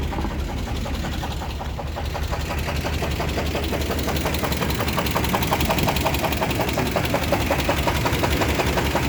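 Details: 350 engine, rod bearing on #1 rod completely worn away, run after cooling down: heavy evenly spaced knocking about three per second at idle, almost lifter-like, a severe rod bearing knock.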